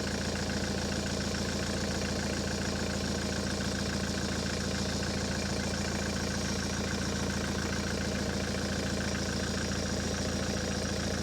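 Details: Ford S-Max 2.0 TDCi diesel, 2010, about 80,000 miles, idling after a fuel filter change and priming: a steady even idle with a regular low beat, no misses, knocks or hunting, and no leaks. Normal idle.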